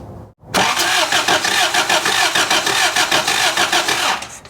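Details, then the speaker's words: 1983 Toyota 4x4 pickup, 22R 4-cylinder, sat at least 10 years: starter cranks steadily about three turns a second for four seconds, never catches; no spark at the coil wire, distributor rotation to be checked. "nothing that ain't good no no spark hold that coil wire right there"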